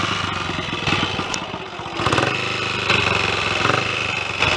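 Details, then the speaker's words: Royal Enfield 250 single-cylinder restarted after servicing, not yet fully run in: even thump that revs cleanly and settles back without misses or mechanical rattles; normal running. "i'll start it up again hopefully well that went all right bungled first gear anyway it's all working well"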